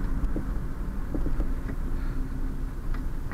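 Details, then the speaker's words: 1986 Honda CRX Si, about 97,800 miles, while driving: light irregular knocks from the rear over road rumble; owner suspects dry rear sway bar polyurethane bushings due for lubrication, unconfirmed. "in the rear sway bar you can probably hear it Knocking a little bit back there it's proba I'm due to to lubricate it"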